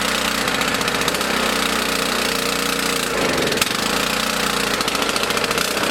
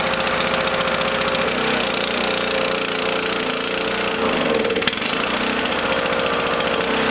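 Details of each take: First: Small single-cylinder mower engine on 87 octane fuel stored 13–14 months, choke on: steady high-speed buzz with a brief dip midway, otherwise even; running fine. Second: Small lawn mower engine in a fuel additive experiment, running unevenly with a ragged, wavering, surging beat on part choke; it still needs a feathered choke.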